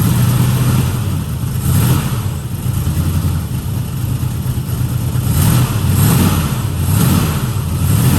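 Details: 1969 Mustang that sat 15 years, with new starter, carburetor and distributor change: deep V8 rumble surges and sags unevenly instead of a steady beat; rough running, owner suspects the carburetor was dumping too much fuel, unconfirmed.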